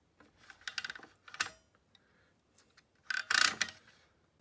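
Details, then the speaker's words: Jeep XJ hood light cord reel after its binding spring line was untangled: light, crisp ratchet clicks in uneven bursts as the cord unwinds, which is normal before it retracts. "you can hear that's clicking that's what it should do as it unwinds and then it should retract it back so"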